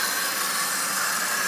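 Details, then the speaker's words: 1995 Chrysler 3.0 running after timing belt installation, no air filter, vacuum line plugged: steady even rush of intake air, no knocks, ticks or squeals; belt tracks steadily; normal idle. "everything spinning around doing its thing water pump turning me keeping my fingers back going around the uh it goes this way that's that's the direction of travel and you can see it's uh staying in one position"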